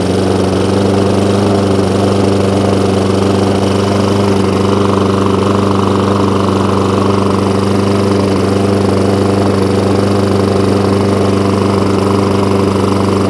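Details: Hayter Ranger 53 mower that would not reach full revs, after bending the throttle/governor spring clip forward: steady even drone at constant high speed, no surging or hunting; full revs restored.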